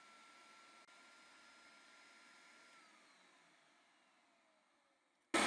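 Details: Numatic Henry vacuum cleaner, rebuilt from two units, on its low-speed setting with hi-lo switch and PCB, motor voltage on an oscilloscope: quiet steady whine with airy hiss, pitch sliding down as the motor coasts off; healthy low-speed run.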